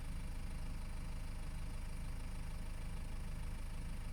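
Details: BMW E60 520d, 163 hp, automatic, diesel idle with a light regular metallic ringing, three to four pulses a second, loudest near the oil pan at the engine–gearbox joint; owner suspects balance shafts, torque converter or flywheel.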